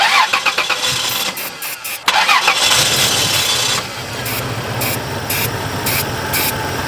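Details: A 2002 Toyota Tacoma with the 3.4L engine cranks, catches briefly and falters, then is cranked again and settles into a rough, uneven run while being revved; it won't hold idle and stalls after starting.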